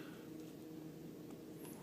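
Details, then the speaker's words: 1999 VW Beetle built October 1998, engine warmed up with coolant reading 135, car stationary: a quiet, steady low hum with no dips or stumbles, a normal warm idle. "but uh yeah this is now the uh the warmed up idle conditions that you could see"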